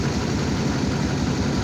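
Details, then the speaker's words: Chevy diesel ("Dirtymax") idling in driveway, hood up; uneven, lumpy low chug, rough idle; blowing head gasket pressurizing cooling system, owner thinks only seven cylinders firing; replacement engine planned. "That's what it sounds like when she's running. She's only running probably on seven cylinders right now."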